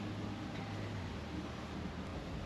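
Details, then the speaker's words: 1998 Ford XH Falcon front hub spun by hand during front suspension job: steady low rumbling growl with no knock; worn front wheel bearing, matching the noise heard earlier. "So, spins quite well, but you can definitely hear that wheel bearing. She is grumbly."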